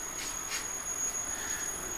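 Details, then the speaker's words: Squirrel-cage fan with a three-phase 60 Hz motor driven by a Teco Westinghouse L510 VFD (110 V single-phase in, 220 V three-phase out), set to about 20 Hz: a faint, even hiss and thin high whistle with no rubbing. It runs smoothly at low speed. "I can't really show you how well hard is flowing but a turning faster you can hear it maybe you can hear the motor turning you can certainly see it"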